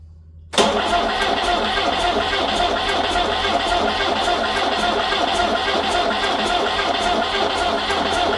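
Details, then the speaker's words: Peugeot 504 diesel parked since 1987, after bleeding fuel: steady cranking about three beats a second, never catches; no fuel reaching injectors, key-on injection pump solenoid found without power. "still nothing does the Keon solenoid have power spoiler alert it didn't"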